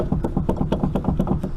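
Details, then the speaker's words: 1996-2000 Honda Civic EK, wheel off, rotor rocked by hand: regular hollow clunks about five per second from the inner tie rod joint, badly worn and moving side to side, to be replaced. "So that noise is actually coming from right in here."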